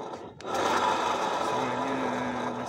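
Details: Honda Beat scooter, rear wheel spun by hand: dry raspy grinding continuing evenly, heard also when pushing, pointing to rear pulley or gearbox axle bearings.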